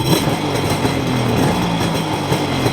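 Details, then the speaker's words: Older two-stroke jet ski (personal watercraft) cold start on choke after sitting: rough-edged but steady burble with even firing, no misses or knocks; normal cold start idle. "so here's what a good running ski should sound like from a cold start and you should you know turn the choke on from after it's been sitting a while is perfectly normal and it might take a while a little bit"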